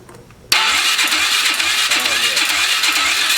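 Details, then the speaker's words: 2003 Polaris 500 H.O. ATV on a wet compression test with oil added to the cylinder. The starter spins fast and light with soft, even puffs; the reading rises to about 80 and holds, pointing to weak piston rings. "So, we got what? like 50 60 70 or be 50 about but 80 90 I'm going to say that's what 80 but it's holding too so that means it's got it's got some weak rings that's what it this."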